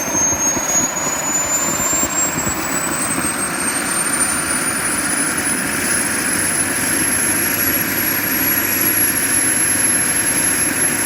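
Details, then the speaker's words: JetCentral turboprop turbine on its first test start, with a temporary wrong-size propeller: a steady high roar with a whistle climbing in pitch as it spools, smooth and even; it runs healthy. "that's the way I like it some guys don't like it that way but I like it so it starts it runs I'm very happy"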